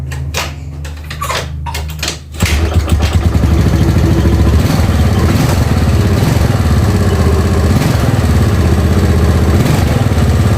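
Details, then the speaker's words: Yamaha Mio Sporty carburetor scooter, rebuilt with 150 oversize piston yet powerless: starts and idles with harsh uneven top-end clatter from worn camshaft and rocker arm. "ya bisa didengar Suaranya sangat kasar ya di bagian noken as patu KP dan di bagian tonjokan keteng ya sangat kasar suaranya"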